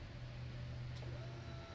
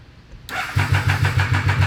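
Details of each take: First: Abandoned Triumph 955cc go-kart, key on, engine off, before first crank; quiet steady electric hum for a couple of seconds, relay clicking heard. Normal fuel pump prime. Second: Abandoned Triumph 955cc go-kart project cranking; steady cranking about 3.5 beats a second with brief firing that never catches, fires but won't keep running; suspected flooded, plug and fuses to be checked. Fires but won't keep running.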